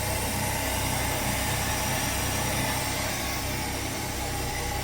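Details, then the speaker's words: 1966 car after freeing a stuck-open carburetor float needle that overflowed the bowl; steady even idle hum, no stumbles, no smoke; normal idle. "but I'll turn into idle fine no smoke so yeah"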